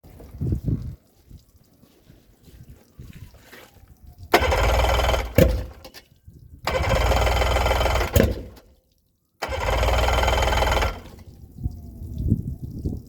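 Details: Yamaha 90 after a CDI swap, three cranking bursts of a few seconds each with pauses between; the engine turns over evenly but never fires, a crank-no-start.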